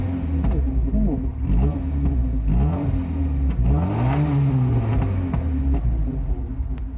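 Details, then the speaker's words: 1987 Alfa Romeo Spider, straight-pipe catback, pre-emissions manifold, no cat, resonator only. After the intake was refitted differently during engine mount work, sharp pops and crackles follow each throttle blip: exhaust popping on overrun, cause unknown. "It already sounded pretty wicked and it would kind of rip up a little bit on the overrun as they say."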